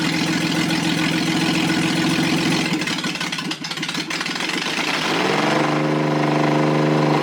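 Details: Rebuilt Toyota 7M-GE, valve seats dremeled, run on a furniture dolly out of the car: a blip, then an uneven, lumpy idle with a hollow stumble; one cylinder dead from leaking exhaust valves.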